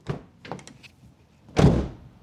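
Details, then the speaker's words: 2010 Mazda 3 front door closed hard with the microphone removed: a dull thud with an empty, boomy hollow drum ring. This is said to be common on this generation; the outer panel buckles out, and sound-deadening insulation is the planned fix. "I don't know how well the microphone picks it up, but there's sort of a dull thud or an empty hollow drum sound when you close the door, especially when you close it uh hard enough."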